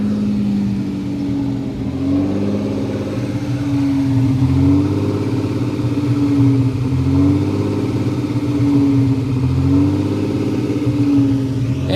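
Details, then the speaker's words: Warm engine whose idle slowly swells and sags in pitch every couple of seconds, randomly and sometimes partway into a drive, after months of running well. Hunting idle; possibly the air inlet sensor reading or a failed IAC. "kind of random it doesn't it it's not a certain amount of time he says sometimes you can get halfway to work before it starts doing it sometimes it goes faster"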